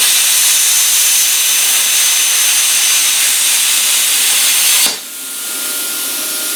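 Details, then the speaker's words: Arccaptain Cut 50 plasma cutter at 30 amps cutting a mild steel corner: steady loud arc hiss about five seconds, abrupt cutoff to faint hum; went right through, normal plasma cutting. "Okay, that cut right through that. Now, the thing is, I wasn't trying to make a perfectly straight edge. This isn't much better than what was there, honestly, but it went right through that, not a problem."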